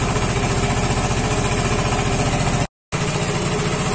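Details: Vespa Matic scooter that suddenly died and would not start, now running after repair, 14.6 V with the engine on, horn working: even, steady idle pulse of a few hundred per minute with no misses or stumbles; smooth, stable running.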